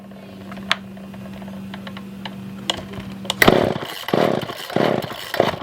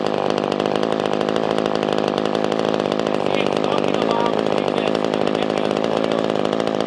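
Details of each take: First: Older Poulan 2000 chainsaw, long unused, on choke with start on after no-start: thin buzzing idle with stray pops, then ragged surges rising and dying; not getting real fuel pickup, later fixed by carb clean and trimming fuel line; fuel starvation. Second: Older Poulan 2000 chainsaw after carburetor cleaning and fuel line trimming, fixing a no-start: steady, even two-stroke buzz with quick regular firing, no misses, stalling or surging, left idling 10-15 minutes. Normal idle after repair.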